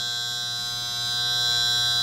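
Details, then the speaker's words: Electrolux DFN42 refrigerator, 127 V, permanent capacitor compressor, not cooling after a move: steady electrical buzz with no pickup into running hum, fan runs, compressor fails to start until thermal protector trips. "vai abrir o protetor térmico o compressor não parte desliguei"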